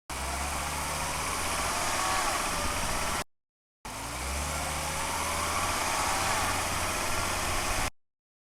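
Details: 2005 Volvo XC90 2.5T AWD accelerating from a stop, microphones under the car at the transfer case: faint thin whine rising in pitch as the tachometer reaches 2000 rpm during the shift into second; suspected gear whine, unconfirmed.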